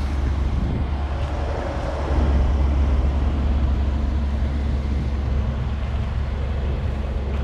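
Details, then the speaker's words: 1990 Fleetwood Bounder Class A motorhome, big-block Chevrolet V8, after donut gasket repair with new springs, nuts and gaskets: deep, even rumble holding steady with no ticking or puffing leaks, some wind on the mic; exhaust now quiet, normal running. "man that sounds so much better huh all right we can live with that"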